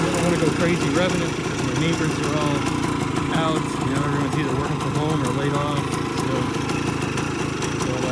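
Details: Restored 1978 Kawasaki KE100 two-stroke, started on a roughly 90-degree humid day, possibly original miles, spark arrestor missing. Crisp buzzing rattle idles evenly and picks up cleanly on throttle blips; engine is clean and runs healthy.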